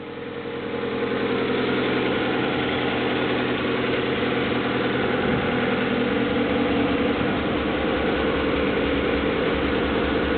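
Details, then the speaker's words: 1995 Honda Accord EX, 2.2 L SOHC VTEC four-cylinder, 206,000 miles, rebuilt a couple of years ago, cold start: settles into a steady, even idle with soft intake hiss through cold air intake filter, no knocks or misses; leaks a little oil; healthy. "Let's start her up. Seems to run smoothly, and I can actually hear the airflow through the cold air intake filter."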